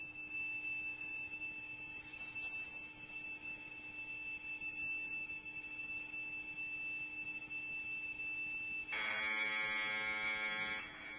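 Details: Commodore Datasette program tape, saved from the computer, played back on an ordinary Kenwood cassette deck: a steady high whistling tone for about nine seconds, then a harsher buzzing warble, normal Commodore data signal.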